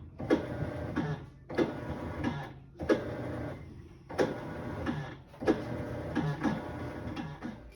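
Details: Kenmore Series 500 top-load washer with grinding and a drum not turning, still present after the motor pulley and transmission were replaced: harsh grinding bursts about every 1.5 seconds with each agitation stroke, from a stripped agitator drive hub.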